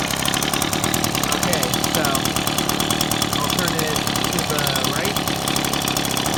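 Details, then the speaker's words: Two-stroke engine as the idle screw is turned left: fast, rattly buzz slowing toward stalling; idle speed set too low, needs turning back up slightly. "Okay, now I'm going to turn it to the left. And you can hear it starting to run a lot slower. Now, yeah, you don't want to run it too slow because otherwise it will stall out."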